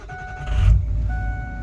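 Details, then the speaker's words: Ford F550 tow truck diesel on test run after repair, with strong fuel pressure, breathing properly and shifting better after blue spring fitted: short deep rumble swelling smoothly, no misses or knocks; normal running. "this thing's got wicked fuel pressure now it's breathing properly it's uh it's much happier like it's fast"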